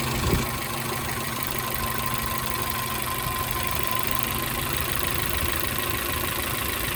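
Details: Suzuki X-90 at idle: uneven, lumpy beat with a faint irregular tick over the hum; sounds like a misfire at idle.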